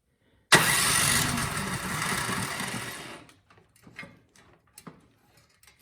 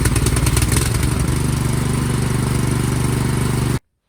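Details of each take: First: Cub Cadet 528 SWE snowblower that would not start, spark test with plug held against valve cover, also with a new plug: cranks for seconds but never fires, scattered clunks; very weak spark, weak ignition coil. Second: Cub Cadet 528 SWE snowblower, after replacing weak-spark magneto coil: small single-cylinder catches, runs evenly about three seconds, cuts off cleanly; starts and runs normally.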